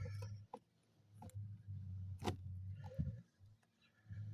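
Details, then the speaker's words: Lada Vesta door handle after lubricating with bearing grease: pulled handle clicks and clunks with no squeak, over low background hum; previously squeaked badly. "Тишина Пользуйтесь смазывайте и всё будет огонь"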